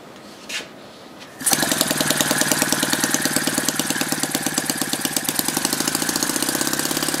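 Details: Lynx 15 engine, just built, restarted after fixing a fuel pickup tube that fell off the tank bung and let the carburettor suck air: fires at once and settles into a fast, even buzzing run without stumbling or surging; runs fine.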